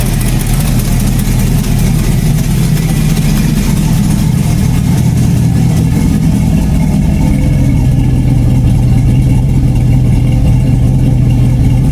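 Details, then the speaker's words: LS-swapped Chevy Blazer V8 build: deep loud idle with brief rev and rough puffing edge from an exhaust leak, to be fixed; brakes not yet fitted, a brake pad found missing. "So, sounds really mean. There is an exhaust leak. I know everybody can hear that. I will fix that."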